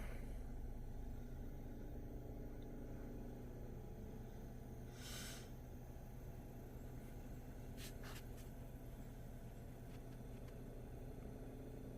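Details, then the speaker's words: Wippro diesel heater trying to start: only a steady low fan rumble with no ticking. The fuel pump gets a signal but doesn't pulse; tapping doesn't help, and it ends in an E10 code after multiple failed starts. "so it does look like the fuel pump is getting signal but it's not really it's not working and I'm pretty sure it's just the fuel pump's bad"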